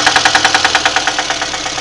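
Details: VAZ 2110 1.5 8-valve engine at idle: a sharp, steady metallic knock at about seven per second over the idle; the owner asks what the sound is. Engine knock, source not pinned down.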